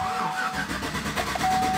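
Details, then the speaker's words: Chevrolet Silverado (2011/2012), towed in for not starting; rapid, even cranking pulses continue but the engine never catches or fires; crank no start, diagnosis beginning with scanner on engine control module. "de arranque automático no encienda demos otra vez"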